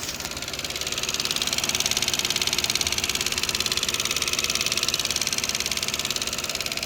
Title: 2011 lexus IS250c engine ticking noise- normal